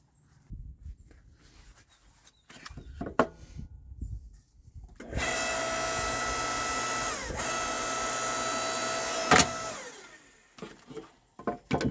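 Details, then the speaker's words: Electric log splitter splitting wood after a Harbor Freight foot pedal replaced its stuck switch: steady motor whine holds strong about five seconds, dipping briefly as the wood gives way; it went really smooth, normal splitting. "All right, so my initial thoughts, that worked out really well."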